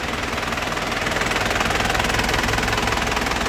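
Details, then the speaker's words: 2007 Isuzu Panther LS turbo-diesel, dry engine with no oil seepage, idling with steady even crisp clatter, stable vibration, no ticking or roughness; healthy engine. "Suara mesin sehat seperti ini, Lur. Stabil, renyah ya. Itu enggak ada suara tek tek tek tek. Suara kasar enggak ada."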